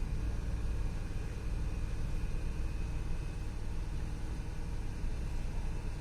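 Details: Range Rover engine with misfire but no DTC stored in ECM: deep rumble with uneven, stumbling beat and no steady rhythm; engine misfire.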